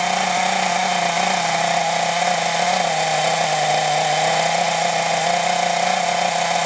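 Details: Scrap Thunder Tiger .28 Pro nitro RC engine, no clutch or bell, only flywheel, unloaded: high, thin, steady scream at constant high revs with no burble; owner thinks it sounds a bit lean, turning main needle out to richen.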